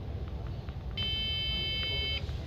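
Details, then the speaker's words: HP Pro motherboard (Vinson rev A) with RAM installed, powering on: one long steady high beep of about a second, then silence, no display; CMOS battery, core supply and 1.2 V RAM supply OK, liquid spill seen, cause suspected, not confirmed. "RAM लगा हुआ है। फिर भी यह beep sound किए जा रहा है। आप देखेंगे ऑन कर रहा हूं। देखिए बीप साउंड कर रहा है। डिस्प्ले नहीं आ रहा है इस केस में।"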